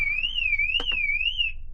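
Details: TD5 Land Rover Defender being tested for a parasitic battery drain, alarm armed with the owner sitting inside: his movement trips it, giving a high warbling siren sweeping up and down about once a second, working as it should.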